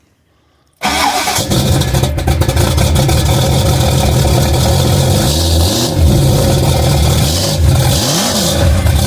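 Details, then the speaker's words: Ford 351 Windsor V8 with Holley Sniper EFI in rock crawler truck, first start, no throttle, tuned to about 650 rpm idle: catches straight away and settles into steady, even idle with no misses or knocking; normal start and idle. "I told you. Listen to that. Sounds right. Oh yeah. Just listen to that."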